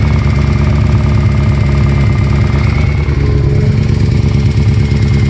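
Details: Kawasaki ZX-14 at idle: dull rhythmic deep internal knock about three per second over low exhaust rumble; suspected spun bearing on number 3 piston from oil starvation when ridden hard, cam chain tensioner also possible; not confirmed.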